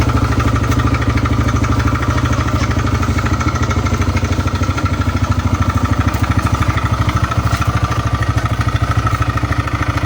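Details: TVS Raider motorcycle engine at steady idle: a regular clattery tick about three per second riding over the beat, an abnormal engine sound of unclear cause.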